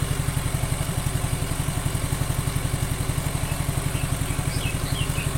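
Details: Suzuki Nex II scooter after replacing the left camshaft bearing (code 6905) that caused a rough noise: smooth, regular low thump at steady idle, no ticking or rattle; engine sounds healthy, normal idle.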